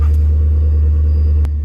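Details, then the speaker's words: 2006 Lincoln Town Car after a new Blue Streak ignition coil replaced an original that misfired under heavy load, codes cleared: smooth even rumble, no stumble or skipped firing; running normally. "here you can hear the motors not stumbling back to normal"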